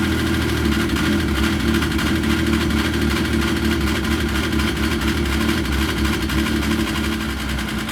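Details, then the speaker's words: Yamaha RS Viking snowmobile after carburetor cleaning: steady, even idle with a smooth low drone and no misses or stumbles. It runs cleanly; before the cleaning it was running rough after the summer. "Perfect. That's what it should sound like. None of this when you fire it up."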